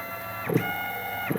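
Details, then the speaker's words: Open-loop stepper motor on a CNC axis, camera at the motor, feed rate ramping with rag resistance applied: quick rising whirs with a rough gritty buzz. It starts losing steps around 190 inches per minute and stalls completely near 270. "so the open-loop stepper like I said at 190 inches per minute I could feel it starting to lose steps with whatever resistance I could apply with this rag and then like we said around 270 it just totally dies"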